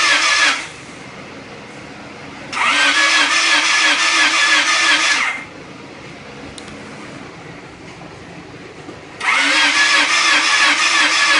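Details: D16 engine, newly rebuilt, spark at plugs and fuel present in cylinders: three bursts of steady cranking at about three beats a second, two or three seconds each, never firing; crank but no start.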